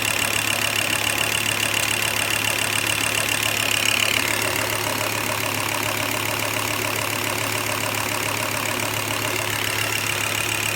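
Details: Volvo S70 T5 with manual transmission, warm idle: quick even normal lifter tick with a faint rubbing whir underneath, seemingly from the block; absent on cold start, appears after about a minute warm, gone when revved; runs fine, oil level good.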